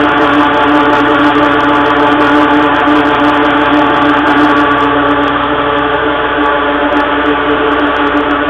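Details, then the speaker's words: Bulk dry tanker blower unloading at about 15 psi, tank empty: a loud steady blower roar with a fixed howling "whooing" tone, normal for an empty tank. The tank is slow to pressurize and the owner suspects a leak. "you'll hear it'll make a whooing now that's it'll it'll whoo it'll make a whooing sound when it's empty"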